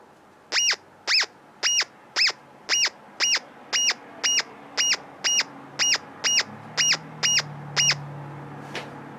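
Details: Hammerhead DIY pulse induction metal detector VCO output after threshold pot R31 backed right down: crisp high chirps about twice a second over quiet background as a target is presented, then stop; normal target response.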